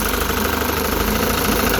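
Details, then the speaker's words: Rebuilt 1960 Evinrude Fisherman 5.5 hp two-stroke outboard in test tank with test wheel fitted, revved in gear under load: steady, even buzz with constant pitch, no misses or knocks; normal running in gear. "Got the test wheel on this thing so I can rev it up in the tank."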